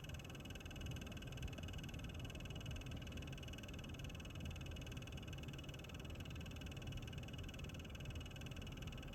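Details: Lenovo Legion laptop with an RTX 3070 Ti: the GPU cooling fan runs with an abnormal rough, croaking rattle under a steady high whir.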